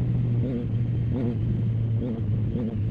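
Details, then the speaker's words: Motorcycle on day two after a home ECU remap with TuneECU and a DNK Tuneworks tune, SE Project S1 sound without baffle, ridden cold; even drone, clean throttle pickup, no stalling as before: normal running. "So still sounds good. It's got that SE Project S1 sound to it without the baffle. You can probably hear it."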